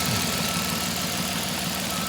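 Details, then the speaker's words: 1996 Dodge Grand Caravan warming up at idle after a split vacuum line was found and fixed: steady, even idle with no hiss, only a faint high whistle and belt squeak; normal idle. "There we are. No more hiss. Bunch of squeaking, but that's sorted."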